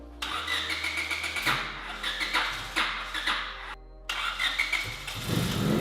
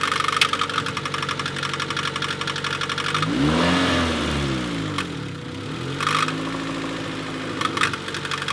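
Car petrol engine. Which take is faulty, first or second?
second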